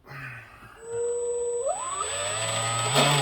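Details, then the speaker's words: Proboat Veles 29 brushless RC catamaran after fitting a balanced propeller; motor whine climbs to a steady high pitch with rough rattly noise over it from a wobbling prop shaft and cable whip. "see the difference you can hear the difference you see you see the shaft wobbling got a little bit of cable whip"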